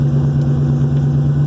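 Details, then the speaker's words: 1963 Oldsmobile Cutlass F85 after cracked front Y-pipe was repaired: steady, even low burble at idle with no ticking or puffing from the front pipes, only the rear cherry bomb muffler audible; normal idle, exhaust sealed. "but it's quiet it's not leaking up front here at all it's really just that that cherry bomb in the back but super happy with the way this thing runs"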